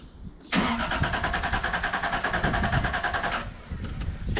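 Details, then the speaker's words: Toyota Supra after a cooling system rebuild (new water pump, thermostat, coolant), cranked with the ignition off: an even starter churn at about three compression beats a second with no scraping or knocking. It turns over healthily with compression. "so now I should hopefully just turn over and hardly hopefully don't make any horrible noises oh there's no ignition so it's not going to start I just want to know it's gonna turn over"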